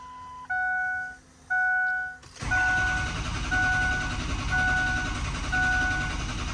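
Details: 2003 Ford F-350 6.0 Powerstroke with ICP-too-low codes and loss of base oil pressure. A few quick beeps, then a steady cranking churn with a faint chime about once a second. The diesel turns over but never fires; injector control pressure is extremely low.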